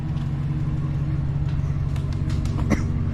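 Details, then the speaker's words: 2007 Chevrolet Silverado LS V8 after a no-crank fix (failed airbag module and blower control box): deep, even idle with a light, quick tick on top. An exhaust manifold leak is suspected, and manifolds, gaskets and bolts are planned. "And you can hear she runs pretty good. Now it's got the LS, the tick to it."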